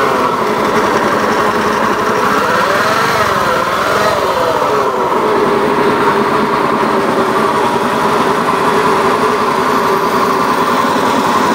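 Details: Honda Beat FI eSP eco scooter engine at steady high idle with a coarse, gravelly rasp over the drone; rough engine noise, cause not identified.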